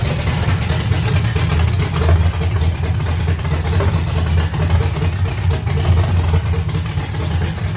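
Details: 5.3 LS V8 swap with sloppy stage 2 cam, Kemso 340 lph fuel pump, 4L80 transmission, initial start: deep even rumble with steady beat, no knocks or misses. Normal running after first start.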